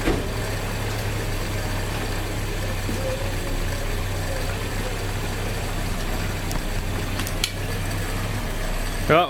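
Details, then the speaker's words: Toyota Hilux with electronic ignition instead of points, first start after adding a couple of liters of fuel and filling the radiator: a steady, even low hum with no knocks or misses, idling smoothly on its own. "almost pure and Steven sitting there idling by itself so nothing wrong with that"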